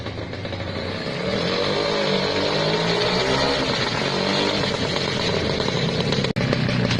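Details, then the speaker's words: Restored vintage Lambretta two-stroke scooter, just kick-started: crisp, even buzz that holds steady and picks up smoothly with throttle, no misfires or knocks; running healthy. "(Coup de pied du scooter Lambretta pour démarrer) (Démarré) Son du scooter Lambretta"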